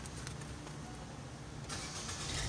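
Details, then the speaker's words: Towed Nissan Juke that would not start or crank, after reattaching the brake switch and pressing the brake: engine cranks briefly and catches into normal running. "O, ayan, umi-start na mga boss. Ganun lang kadali. Brake switch."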